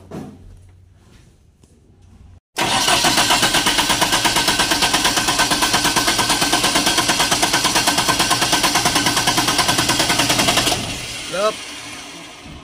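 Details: Diesel genset, hard starting: fast, even cranking beat for about eight seconds, then stops without catching. Fuel found to contain water; being drained and replaced with fresh diesel, return hose checked; cause not confirmed.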